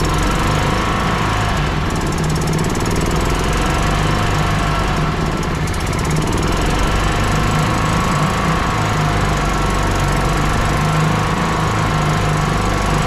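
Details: 1996 Club Car DS gas golf cart, small single-cylinder engine restarted after reassembly, running without choke with a little throttle; runs fast with a choppy, uneven thrash instead of a clean steady beat, rough running; spark plug to be checked.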